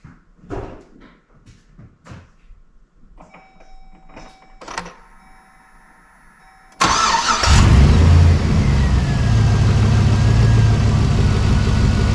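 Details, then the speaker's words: 2003 GMC Sierra 4WD 4.8L V8 just after an oil and filter change: a few clicks, cranks and catches at once, settling into a steady even low idle with no knocks or misses; oil pressure came up in three to four seconds. "so we're going to let that sit for a minute and let the oil settle back down so we can get a more accurate level I fired it up it took about three four seconds for my old pressure gauge"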